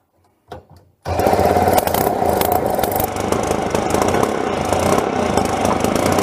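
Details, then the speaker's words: Late-60s/early-70s Dexon Swinger mini bike's vintage Tecumseh two-stroke; catches after a brief fumble and runs raspy and uneven, slightly stumbling; the carburettor needs removing and cleaning. "hey that runs it's not perfect the car B needs to be taken off and cleaned up properly but she's running alright"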